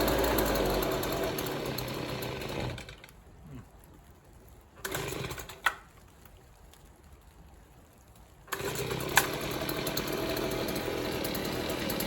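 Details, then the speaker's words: Stihl two-stroke leaf blower that wouldn't run right: buzzes unevenly, stumbles, stops and restarts with a wavering note; low-speed screw later set three-quarters turn out gives perfect idle but it still won't rev high. "so I adjusted this three quarters of a turn out from all the way in and now it idles perfectly but it still won't rev High"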